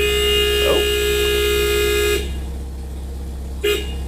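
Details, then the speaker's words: Nissan 240SX KA24DE idling after steering wheel alignment: horn blares continuously for two seconds, cuts out, then toots briefly; horn sticks when the pad is pushed in too far, over a rough idle. "so you can't really push that in too much or it'll get stuck and starts uh the horn gets stuck pretty much"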